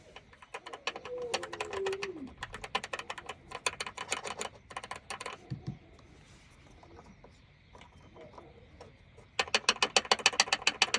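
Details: 2019–2024 Mazda 3 BP (4th gen): quick bursts of dry plastic clicking from the B-pillar trim, caused by the loose plastic clip holding its screw; fixed with Tesa tape, plus foam tape on the seat-belt height adjuster if needed.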